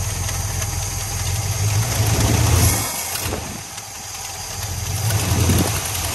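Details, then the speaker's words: Plymouth Fury, carbureted V8, sat 5 years. Lumpy idle, and when the throttle opens the revs stumble and sag before picking up: a hesitation on acceleration. The accelerator pump is suspected, not confirmed. "yeah so i think that hesitation is accelerated pump i think that accelerator pump needs to accelerate itself off this engine"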